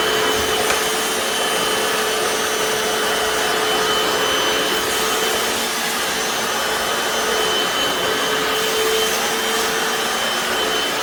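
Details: Hoover FloorMate Deluxe hard floor scrubber with spin brushes in wash mode on tile, vinegar-water solution: loud, even vacuum-like roar with steady high whistling tones and smooth brush scrubbing; normal running.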